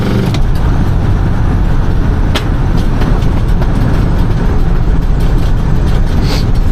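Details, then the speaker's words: 1979 Dodge D-10 Lil Red Express, 360 V8, automatic, dual exhaust: at full throttle the roar carries sharp cracks and pops from an exhaust leak on the passenger side; it hesitates when floored, then takes gas fine. "Got a little crack from the exhaust on the passenger side there. Did you hear it? Pow! It does have an exhaust leak on the passenger side up here."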